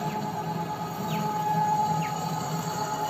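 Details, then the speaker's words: E-bike hub motor after rat-chewed wiring was fixed with a new harness, controller (500 W), converter, handle switch and throttle: under throttle a steady mid-pitched hum over a low drone, no grinding or clicking. It runs normally. "yan mga ka-e-bike, oh, gumagana na siya."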